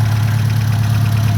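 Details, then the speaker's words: Ford Mk1 Escort panel van petrol engine, not rebuilt after decades off the road, idling after a PCV valve replacement: low, smooth, even hum with no chugging and hardly any blow-by, far better than at first start, a normal idle. "So I've got it running, and there's actually hardly any blow-by. Nowhere near as bad as it was when I first got it started."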